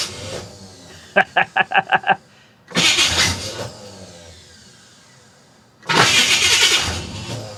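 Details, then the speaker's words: 1966 Chevy Impala with a 427 big-block that ran poorly last time, start attempt before a valve adjustment. About seven quick cranking beats, then it stops, followed by two louder rough bursts; weak, intermittent starter cranking, with little oil flow seen. "All right, here we go. Starter's having problems. Oh boy."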